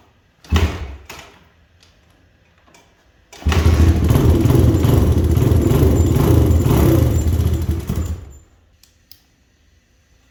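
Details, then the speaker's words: 2000 Honda XR100 after a BBR 120 big bore kit rebuild, first start: small single runs about five seconds with an even, steady beat, but smokes; owner suspects oil left in the old exhaust pipe is burning off. "So it runs, but it definitely smokes, and it should hopefully just be the oil that's on the exhaust, because there was a ton of oil just pouring out."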